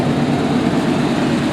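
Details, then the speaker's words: 1988–1998 Chevy Silverado C1500, 350 V8 with 700R4, about 101K miles, largely original: a steady, even low rumble at idle with no squeal or whine. Sounds healthy. "The old 350's kind of got a little rumble to it. Sounds good though."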